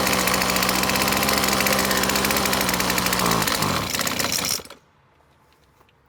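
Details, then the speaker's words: McCulloch T55 CLS two-stroke line trimmer with spark, started with two-stroke fuel poured into the cylinder: screams at high revs briefly, then sags and dies within seconds, cannot idle; owner first suspected a blocked carb jet, found cylinder head bolts loose. "clearly the problem is it just doesn't want to idle so I'm gonna guess there's a jet blocked in the carburetor or something similar you know this whole thing appears loose I just wonder if that's the actual real problem here"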